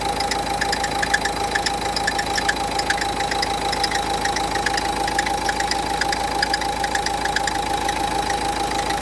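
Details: Renault Duster 1.5 dCi at idle: steady high whine with light rhythmic ticking about 3/s from a worn alternator pulley, fixed by replacing the pulley.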